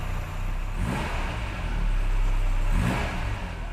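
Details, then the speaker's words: 1987 Ford Capri Laser four-cylinder, first start after 30 years in a barn, a four-month restoration and freshly returned carburetor: smooth, even revs rising and falling, no knocks, misses or rattles; runs like new. "it couldn't be any better really could it it's like a new one"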